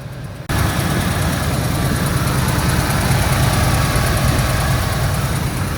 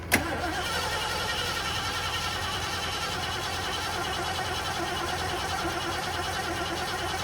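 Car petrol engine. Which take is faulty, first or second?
second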